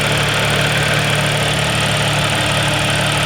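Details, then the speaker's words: B8.5 Audi S4 after replacing the starter that smoked from repeated cranking, suspected low battery voltage, first run after two months sitting: steady even idle hum, constant pitch, no knocks, misses or squeals; normal idle. "there's a town of an engine that hasn't ran in a while because it's been sitting in parking lot for two months"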